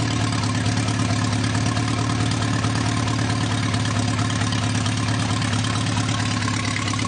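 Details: Newly rebuilt 2.1L TR4A four-cylinder, first run test, straight pipe without muffler, about 3,000 rpm: steady even drone at raised revs, no knocks, misses or surging, little vibration; well balanced, normal running at speed.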